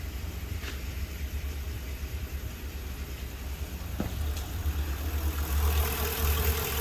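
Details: Honda Shadow V-twin idling outdoors at about 55-57°F after its first start since 2019 and a carb and wiring revival: low, even thumping idle holding a steady beat without stumbling or knocks; starts and idles normally.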